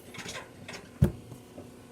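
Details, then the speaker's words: Euhomy compact tumble dryer hums low with faint, irregular creaks and rubs and one sharp knock as the drum turns; lint filter is cleaned, and the owner wonders whether it is overloaded or normal. "There's like a creaking noise when the drum is turning. I was just wondering if that's normal. Other users say that it's really quiet."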